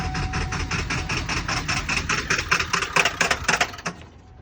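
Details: 1997 Ford Power Stroke diesel after new valve cover gaskets, CPS and batteries; fast even cranking that doesn't fire then dies; hard start, stalling and no power, owner suspects ICP sensor, alternator, HPOP, overfilled oil or injectors.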